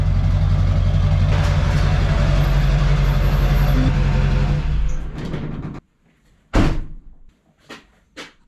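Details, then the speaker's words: 2004 Chevy Silverado 2500HD LB7 Duramax diesel with muffler delete; loud raw blatting drone too harsh, then shutdown; exhaust leak, poorly made tubing fell apart at the welds, to be re-welded. "As you could hear, it sounds a little loud. And something's missing."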